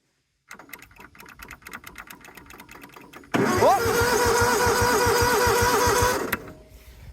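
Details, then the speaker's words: John Deere GT245 mower; slow cranking clicks, then the engine catches but a loud whirring grind stays on top as the starter sticks closed: starter stuck engaged, crusty solenoid suspected. "looks like solenoid is uh getting uh crusty all right so she's uh running now but the starter is sticking closed and sticking on"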